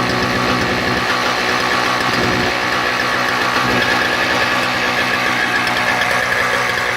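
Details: Toro CCR 2000 snowblower with a 1990s Suzuki 4.5hp two-stroke and Mikuni carb, after repairing a broken ignition-coil wire and a blocked pilot jet screw; primed, choke open, runs a buzzy, steady, healthy beat.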